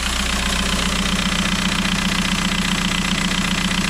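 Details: 2001 VW New Beetle 1.9 TDI ALH 90 hp just after turbo replacement and an oil change, at idle with the blue warning light still on: even, steady diesel clatter with a regular beat and no oil leak, running healthy.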